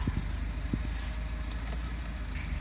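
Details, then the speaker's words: 1996 Suzuki Sierra idling after cylinder head replacement (cracked head) with air conditioning on; low, steady, even rumble with no misses or knocks, vacuum idle-up solenoid raising idle a separate step for aircon versus lights; normal A/C idle-up. "so yeah there we go so it's got a different step for the aircon as opposed to just the lights"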